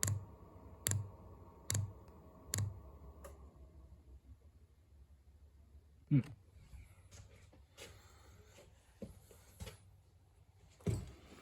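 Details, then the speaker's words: Amazon diesel air heater being installed, on a jumper pack because the battery was too weak: sharp isolated ticks, about one a second at first, then sparser, in a quiet room. The dosing pump is priming fuel and pushing air out, normal. "clicking away. Had to hook up the jumper pack. The battery wasn't quite strong enough, but it is getting the air out."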